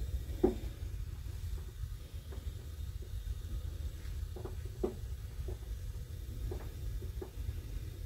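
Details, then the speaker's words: Burner after thermocouple replacement (replacement number 37C72 UL 547): soft, steady low rumble of the lit flame with light pops about every second; burning normally. "i will show you the flame you can hear it popping a little bit making excuse my face shot"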